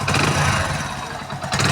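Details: Hero Splendor single after full engine rebuild with new rings, previously making a harsh rattling noise and low on oil: fires up, settles into steady idle with brief blip, no knocking or rattle; sounds healthy.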